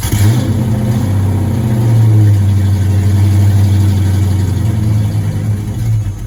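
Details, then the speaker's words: 1986 Ford Mustang GT V8, supposedly original-mile car (about 40–50,000 mi), sat for a while and barely drove off the tow truck; first start: catches after cranking and runs lumpy and stumbling; owner suspects a misfire. "It's just running really bad. And I'm going to find out what's going on."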